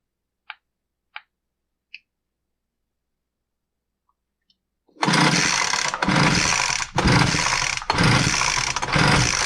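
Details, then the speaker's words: Poulan Pro BVM200VS handheld blower, good spark but a dry plug, after tightening two screws failed to fix it: five quick recoil pulls, each a brief whir with no firing. No start. "all right that's a fail tightening the two screws didn't fix the blower like I said about half of the time it does and half of the time it doesn't"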